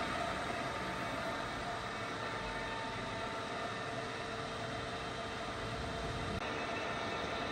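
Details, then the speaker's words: Csepel RF 50/1250 radial drilling machine (hydraulic clamping, MT4 spindle) at maximum spindle speed of 2000 RPM: quiet, even hum held at one pitch with no grinding, knocking or bearing whine; the spindle runs smoothly and normally. "as we can hear that is no extra noise from the spindle even at its high RPM also the spindle is completely silent there is no major noise or any extra noise from the spindle even at its high RPM also"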